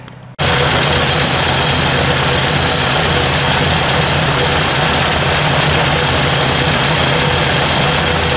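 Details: Ford 800 tractor idling with the valve cover back on: loud steady idle with a fast light ticking, quiet at the front and loudest toward the back of the valve cover.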